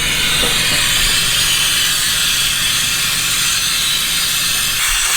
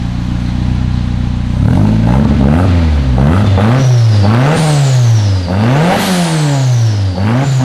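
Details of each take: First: Rear-wheel-drive Honda Civic with fully built engine and new turbo, boost leak test, engine off: steady high-pitched hiss of pressurised air escaping throughout; a small leak, smaller than hoped. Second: Rear-wheel-drive Honda Civic, fully built engine, new rotated turbo, new exhaust with K2 muffler and heat wrap, after fabrication: deep exhaust note climbing and falling through sharp, crisp rev blips, no rattles; healthy.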